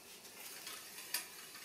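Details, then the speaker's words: Lapierre Pro alu SL (2000) mountain bike after fitting Shimano BL-M4100 hydraulic disc brakes: with the caliper shifted off-centre, a faint airy swish repeats about four times a second as the wheel spins, the disc rotor rubbing a pad. "si je décale par exemple c'est par là plusieurs mois entendre qu'il ya comme un frottement"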